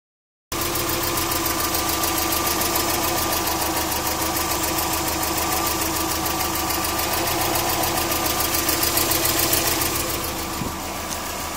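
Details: Subaru EJ20K petrol boxer engine idling with a steady light tick about three to four a second; owner unsure whether piston slap, timing belt tensioner, AC or lifters.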